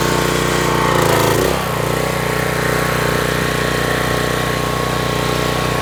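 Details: Troy-Bilt pressure washer engine brought in with run issues, test run with water on: settles into a steady, even putter under pump load, no surging or misses, running smoothly.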